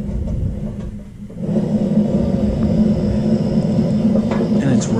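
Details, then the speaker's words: DIY propane tent heater built from a Toyo stove heat exchanger, first test fire just after lighting: a strong, steady roar with a low hum settles in and holds evenly; the burner is firing properly. "okay now we're gonna light it up okay you can hear the propane coming okay look down in there and so now you can see we've got a flame going on"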